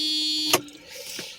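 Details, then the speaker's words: Mercedes S600 coupe, steering wheel being bolted back on during steering angle sensor work: loud steady horn blare about half a second, then cut off with a click, as the horn circuit shorted while centering the bolts. "I don't want it to be blowing the horn. It's just too loud. I cannot have this in the middle of the driveway here."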